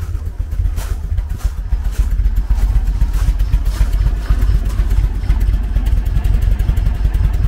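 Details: 1974 VW Beetle with Weber IDF carburetors, cold: lumpy, uneven low thumping that never settles and won't idle without throttle; running on three cylinders from a blocked idle jet, main jets checked clear.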